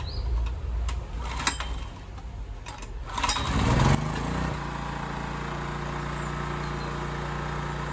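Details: Honda EX1000 portable suitcase generator, running without its correct air filter, choke off, before an 800 W heater load: after handling knocks it settles to a steady, even low drumming with no misses or surging; healthy no-load running.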